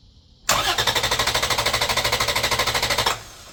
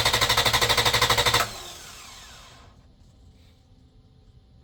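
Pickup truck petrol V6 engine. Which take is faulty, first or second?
first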